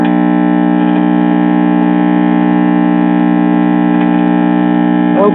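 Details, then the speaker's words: Trav-Ler 4-tube radio/record player at power-on, dial light lit: loud, steady low hum with a buzzy edge from the failed filter capacitor, a previously replaced can-type electrolytic that is now bad. "our dial light is lighting up sounds like our filter capacitor"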